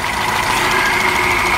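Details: Tofaş, idling with the clutch pedal pressed: a steady high whine near 2 kHz. It comes from worn pressure plate diaphragm fingers; the clutch release bearing was also suspected.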